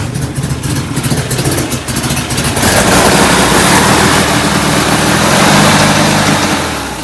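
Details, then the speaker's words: Enlarged performance VW air-cooled carbureted engine with larger air filters: loud chuffing, uneven idle puffing hard, swelling as revs rise; still running rich at idle, idle jets suspected too big. "i was hoping the bigger air cleaners and the bigger motor would bring the idle around but it's still puffing pretty hard on the idle"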